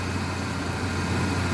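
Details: Truck after replacing cheap engine mounts with better-quality mounts: smooth, even low idle with a steady hum and no rattles or shake; the earlier vibration is much reduced.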